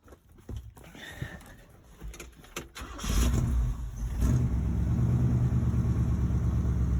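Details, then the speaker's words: 1970 Chevrolet V8 truck, sat in a barn 20+ years, started after revival work: cranks, catches after about three seconds and settles into a steady, fairly even idle; still needs some carburetor work. "This is a good truck. Let me tell you. Needs some carb work, but that ain't no biggie."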